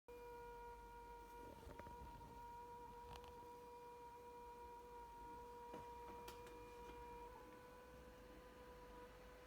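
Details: Asus G701VI laptop gives a quiet, steady whine with a faint higher overtone and a few soft clicks; cause unknown.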